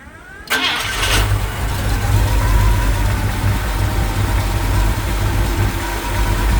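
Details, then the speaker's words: 1977 International Scout II with rebuilt engine and aftermarket camshaft; fires immediately after a brief crank and settles into a steady, even, deep idle with a slight lope; no leaks, starts and runs healthy. "As you, if you look at the cold start video, you'll see that this thing fires right up, absolutely no problem whatsoever. We'll fire this up so everybody can hear it run."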